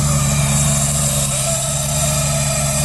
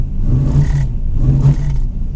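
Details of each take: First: Junkyard 5.3 V8 Camaro (TH400, stage 2 cam, 92mm throttle body, HP Tuners tune) on a cold start in the mid-30s °F: a steady, even low rumble with no knock, miss or hunting. Normal cold idle, a little rough at first, then it cleans up. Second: Junkyard 5.3 V8 Camaro with 92mm throttle body and HP Tuners, running poorly after a burnout: with MAP sensor unplugged in limp mode, two sluggish revs that hesitate and drop back; owner suspects a bad MAP sensor.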